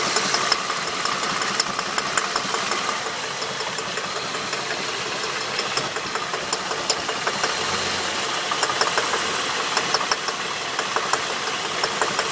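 A light, fast ticking knock rides over a steady idle with a hissy background; the source of the knock isn't clear.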